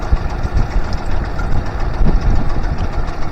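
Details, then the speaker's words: Honda BF25A (BF25AY) 25 hp vintage 3-cylinder four-stroke outboard with three stacked carbs, idle turned up while setting mixture screws: uneven low thumping with a stutter and jump, soft pops as screws are turned out leaner, a lean misfire starting. "It's not running horrible, but I've got a stutter and a bit of a jump that I'm not happy with."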